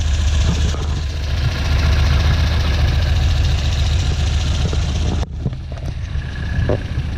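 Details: 1967 Volvo 1800S petrol engine at warm-up idle, around 1,100 rpm; steady, even low rumble with a smooth beat, no knocks or misses; normal idle.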